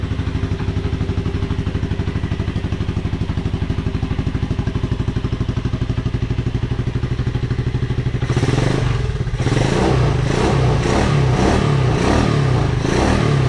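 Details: 1986 Honda Fourtrax 125 after carburetor cleaning: steady single-cylinder thump at idle, then crisp throttle blips rising and falling cleanly with no misses; normal running.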